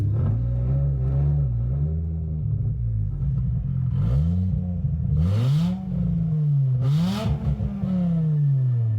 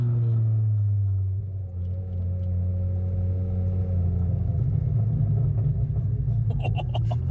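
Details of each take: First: Volvo 850 project car on first parking-lot drive, engine running on a base map with a completely uncorked exhaust dragging on the subframe: loud, raw note swinging through several revs with a rough rumble. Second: Volvo 850 project car on its first drive, completely uncorked exhaust dragging and grinding on the subframe: steady, even low idle rumble with no knocks, misses or hunting; idles smoothly and sounds healthy.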